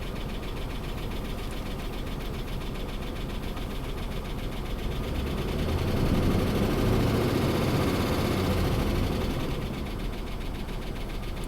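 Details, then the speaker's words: 2005 Dodge Ram 2500 5.7 Hemi V8, nearly 300,000 miles, with loud under-hood tapping. Lumpy idle with a regular stumble from a single-cylinder misfire; a worn camshaft is suspected behind the ticking. "okay definitely feels like it has a single cylinder misfire so that's all good"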